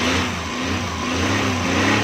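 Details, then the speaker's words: Suzuki Ravi after timing belt replacement, started before fitting fan and upper cover to check: smooth steady idle, even mid-pitched hum, no ticking or rattle; runs cleanly. "गाड़ी स्टार्ट करें। देखें दोस्तों ये हमारी गाड़ी स्टार्ट हो गई है।"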